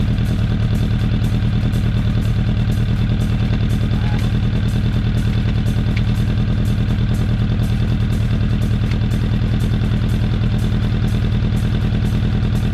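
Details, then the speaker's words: 2004 Suzuki Katana 750 under restoration, with repainted headers and an old-school aftermarket exhaust: steady, deep exhaust burble holding an even beat at idle, no knocks or rattles underneath; healthy engine with a throaty pipe. "once you hear it sounds pretty good actually it's d d exhaust out of fort worth texas it's old school but man it sounds nice especially for 750 katana wasn't expecting that"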